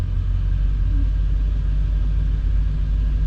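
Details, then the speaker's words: LS-swapped square body 3+3 V8, still learning at idle at 165 degrees, no alternator; idle dips slightly low and then recovers into a deep, steady, even rumble without misses or knocks. Normal idle. "RPM starting to come back up. It dipped a little bit low, but that looks killer."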